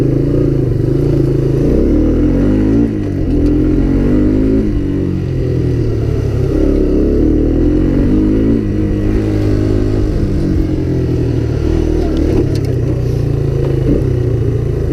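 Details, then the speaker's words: Honda Big Red ATC250ES that wouldn't start, fixed by cleaning brown sticky deposits from carb and intake and refilling with stabilized gas plus Sea Foam; the single revs cleanly and evenly with no stumbling, the automatic clutch works well, and it accelerates well. "Yeah, the automatic clutch is working beautifully. The shifting clutch. Yeah, the carburetor is completely clean. It's accelerating well."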